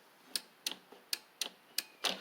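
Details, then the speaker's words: Husqvarna Z4822 zero-turn mower, long stored: key turn gives sharp dry clicks about three a second from relays, safety switch and carburetor solenoid but no cranking; cranks when terminals crossed; failed starter solenoid. "When I turn the switch, I hear relays clicking and stuff, and the solenoid working in the carburetor."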